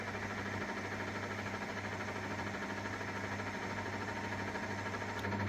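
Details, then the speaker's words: 1997 Myford VM-F milling machine table power feed on setting B then C, C fastest: steady even motor hum with low mains buzz underneath, no knocks or grinding; power feed runs smoothly and auto-stops at its limit. "If I put it put it to B, then go. That's really quite fast. Pull this out slow. Stop it. Go to C. That's even faster. So C is really fast."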